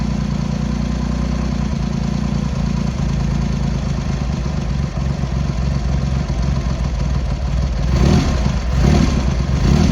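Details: Triumph X75 Hurricane with freshly rebuilt carb rack, cold on half choke: lumpy, uneven idle with irregular beats and a throttle blip near the end; pilot screws thought set 7/8 out, carbs suspected to need tuning.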